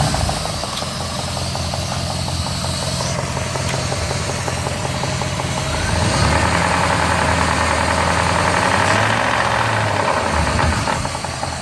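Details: 1999 Jeep Grand Cherokee WJ 4.7 V8 idling and revving with a steady tapping knock that speeds up and worsens with throttle; oil had run low, changed, oil pressure good, tick persists; driver-side valve cover off shows nothing wrong.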